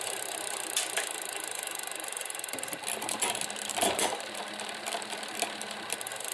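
Light, irregular metallic ticking and rattling comes from the rear gear changer as the drivetrain turns; it points to a loose derailleur part.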